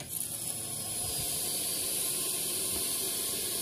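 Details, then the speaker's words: Honda FD VTEC 1.8 with hard starting; fuel pump replaced three weeks earlier. Engine off, pressurized fuel system gives a steady sharp hiss; pressure does not hold on the gauge. Leak inside the pump assembly near the regulator. "Walang nag-hold. Hindi nag-hold."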